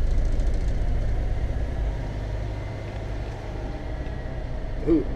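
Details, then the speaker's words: 1991 Tioga Class C motorhome onboard generator running after start during a mid-winter inspection, following a worrying moment. Deep, even rumble holding a steady beat with no misses or surging; running smoothly. "had me worried there for a minute, but she's cooking. She's doing well. We'll just let it run for a little bit"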